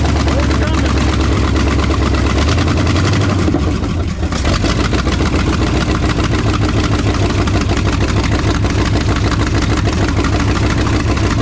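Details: 1968 Ford F250 with a freshened 360 FE V8 on first start after install and a vacuum leak fix: sharp rapid clacking over a rough idle, pacing engine speed. It was suspected to be valves, but it is exhaust puffing from unbolted headers.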